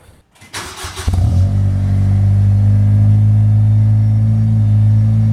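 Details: Acura RSX Type S with a new full Spec D cat-back exhaust, joined where it was cut and held by 2 of 3 bolts, so a leak is possible; starter whirs, then a deep, steady low rumble, not ricey; normal exhaust note.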